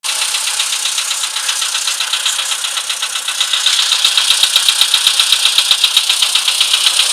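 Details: VW Polo sedan, CFNA engine, cold idle: sharp, regular ticking about four times a second, a light metallic knock from inside the engine when cold.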